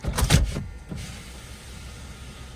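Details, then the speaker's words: Power window on a free used daily-driver car: the motor whirs slowly and strains as the glass drags, auto function not working, so the sticky window channels need cleaning. "Auto doesn't work on those. Definitely needs cleaned. You can hear how sticky the windows are."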